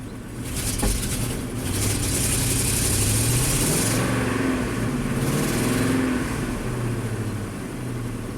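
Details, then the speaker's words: 2008 Ford F-250, 5.4L V8, 219,000 miles, swapped engine, fuel rail pressure sensor unplugged so fuel pressure is likely maxing out: engine surges and stumbles unevenly under throttle with wandering pitch; rough running. "it's really not happy without that fuel rail pressure sensor it's probably maxing out the actual fuel pressure so push down on it let it go maybe we can tie it with a zip tie temporarily make it run decent"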